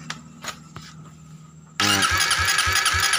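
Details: Suzuki GSX motorcycle, hard to start, starter relay ground signal comes from the ECU: starter churns with a steady pulse of about four compressions a second but never catches. Spark is confirmed; fuel pressure and injector are still being checked.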